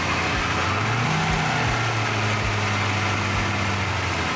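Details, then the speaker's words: 1979 Porsche 928 V8 running again, still warming up: steady, even idle with a low, smooth beat and no knocks, ticks or stumbles; normal idle. "that's pretty smooth isn't it I'm just looking there's uh water in the expansion tank super smooth love it"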